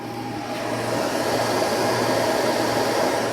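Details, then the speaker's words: New 3000W 60V inverter, unit still cold in a freezing garage; fans trigger sooner and run full, faster than the old unit: strong steady air rush over constant low hum, no rattle or scraping; normal cooling fan operation. "I think they set this the trigger a lot sooner and the fans are running a lot higher than the older unit was these are running full"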